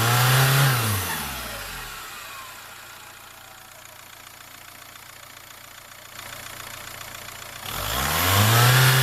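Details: Engine revs up and down twice with a high whistle rising and falling in pitch alongside the revs; turbo whistle.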